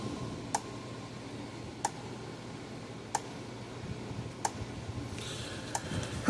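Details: Gallagher B1600 electric fence charger after repair, switched on in a quiet room: sharp single clicks evenly spaced about every 1.3 seconds; pulsing normally, output reading about 9.3.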